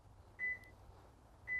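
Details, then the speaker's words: Subaru with keyless push-button start, setting a keyless entry PIN after pressing unlock on the fob: two clear beeps about a second apart, repeating to ask for the code to be entered again to confirm it. "you'll notice each time I press this that's the one it beeps then I enter two one two beeps and then one once more"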